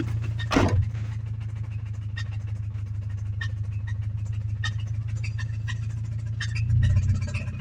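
Engine catches and settles into a low idle, with light, uneven knocking ticking over the rumble. Cause suspected, not confirmed.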